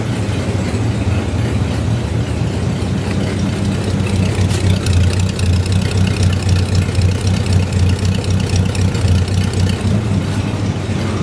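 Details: 1952 Ford F1 truck with a flathead engine, apparently running for the first time since 2007. Steady, even low tailpipe rumble with a smooth, regular beat and no knocks or misses; a healthy idle.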